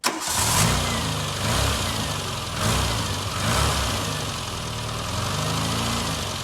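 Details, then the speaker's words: Barn-find Austin Maestro after service and fuel pump replacement, rainy day: fires straight away, a couple of light blips, then a smooth, even idle; normal start, no fuel leaks, pump drawing from tank. "the good news is is we have no fuel leaks and it sounds like it must be pulling from the tank now"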